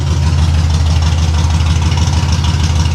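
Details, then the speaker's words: 1989 Pontiac Trans Am GTA V8 after two swapped plug wires were corrected: deep idle with an uneven lumpy beat, no longer popping on the intake but not firing on all cylinders; misfire. "I don't think it's running on all of them though."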